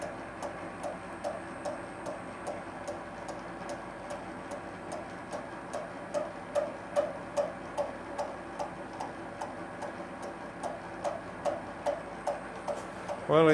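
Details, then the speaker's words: Schaublin SV-51 (1955) mill with a high-speed steel cutter cutting Uddeholm Vanadis 4 tool steel, cutting oil applied; steady tooth knocking about 2.5 per second, then a thin high whistle creeps in as the cutter starts to chatter. "Oh, now it's, and it's not knocking too hard. Actually, it's very nice. Well, it's knocking. Well, you can hear it starting to whistle."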